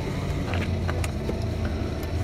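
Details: One-owner 2005 VW Jetta TDI 1.9-liter turbo diesel, recorded inside the cabin: steady low diesel rumble, even and smooth with no knocks or misses; healthy idle.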